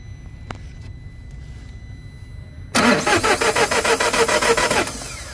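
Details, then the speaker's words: Citroen Dispatch 2.0 no-start (fault code P11A2): about two seconds of steady starter cranking, roughly three and a half beats a second, never catches; crankshaft and alternator belt turn but camshafts don't, timing chain failed. "all right that means the crankshaft is turning on the starter motor but it's not turning anything up at the top so unfortunately this is a timing chain failed engine awesome"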